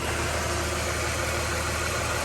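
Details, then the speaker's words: Ford BF XR6 with swapped Barra engine, first start after fully seating half-plugged ECU connector: briefly rough then smooth even idle with steady low hum, no knocks or ticks; healthy. "oh we have ignition it's alive plug I looked a bit rough but it's smoothed out already fixing how quiet that is awesome"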